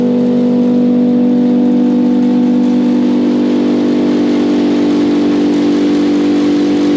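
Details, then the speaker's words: Silo unloader switched on after repairing its collector ring: smooth even mid-pitched hum with no knocks or grinding; normal running, working the way it should. "all right this is working the way it should be"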